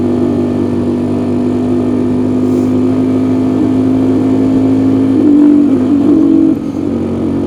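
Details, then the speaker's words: 1986 Honda 350X ATV ridden in sixth gear: a steady engine note wavers and stumbles as the throttle opens past a point, then falls away instead of pulling; it bogs and won't hold full throttle, cause unconfirmed. "I know any past that it just bogs"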